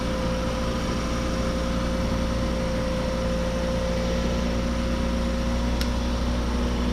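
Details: 2003 Toyota Matrix, first start after a modification, jump-started with borrowed cables: smooth, even low idle hum with no knocks, misses or surging; engine runs healthy.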